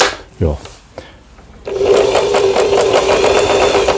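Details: Lion/Janome Jem mini home sewing machine, about 25 years old, after repair replacing broken bobbin winder, spool pin and other parts: steady mid-pitched hum with even ticking at about four stitches per second; sewing normally.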